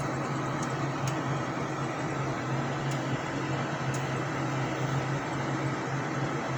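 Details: Payne furnace running after a no-heat repair (parts cleaned, connection re-crimped, popped fuse bypassed until the proper 3 amp fuse is fitted): steady low hum with a constant blower rush and faint ticks; running smoothly and healthy.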